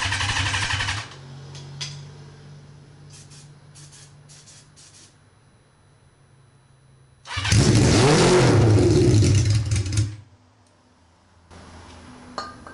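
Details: Honda CB550 with no muffler, on starter fluid: a few quiet pops, then a very loud, harsh bark for about three seconds before it dies; briefly runs on the spray.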